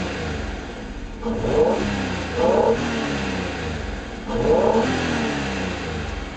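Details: 1991 Acura NSX, 270 hp VTEC DOHC mid-engine V6, 5-speed manual, about 129,900 miles, timing belt and water pump done near 115,000 miles: idle, then three short blips rising cleanly and dropping back, no knock or rattle; healthy.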